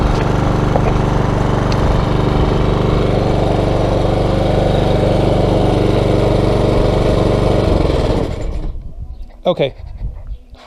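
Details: Small single-cylinder mower engine, previously non-starting from stored fuel, after carburetor cleaner to dissolve varnish deposits: runs steady and even for eight seconds, then winds down cleanly at shutoff; normal running.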